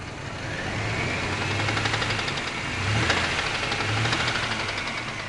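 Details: 1997 Oldsmobile Bravada 4.3L Vortec V6 idling: a light tapping about four times a second from the upper passenger side. Rockers and pushrods were replaced, lifters and head gaskets two years ago; owner asks whether it is lifter noise or rod knock. Undetermined.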